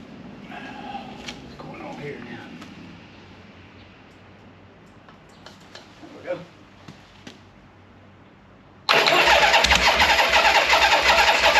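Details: 1976 Harley-Davidson Ironhead V-twin with handlebar starter and enrichment pulled, first start: fast, loud, lumpy high idle; owner suspects the idle set screw was turned in too far.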